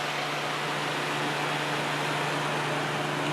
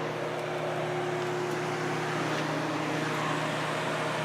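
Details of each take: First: Kenmore dehumidifier, fan only with compressor disconnected, after cleaning: steady, even hum with a low tone and airy rush, no rattles or scraping; spins up better than before. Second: Kenmore dehumidifier, compressor restarted after sitting idle: the de-icer sensed ice and cut the compressor, leaving only a steady, soft fan hum with no compressor drone, then a sharp click as it attempts a restart; not low on refrigerant.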